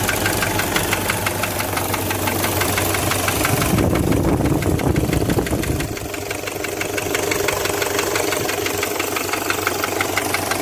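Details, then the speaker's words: Toyota 1KZ-TE diesel idling: steady hollow knock, about three a second, from a piston rocking in a scored cylinder liner, found on teardown. "то есть у нас тук-тук слышно было хорошо стучит то есть вот здесь вот болтается"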